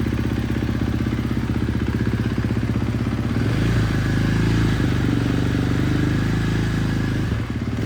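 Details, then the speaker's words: 2024 Husqvarna FS450 single-cylinder engine idling on first startup after rebuild with performance parts by Race Tech: even thumping about four beats a second, smooth and steady with no tapping; healthy idle. "Gotta love the sound of a motor that was just rebuilt."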